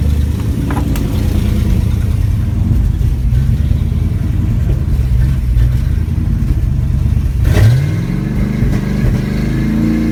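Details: 1987 Chevy Silverado K10 350 V8 with a rough idle whose pitch wanders, then climbs near the end as revs rise on their own, gaining and losing power; a surging idle, cause unknown.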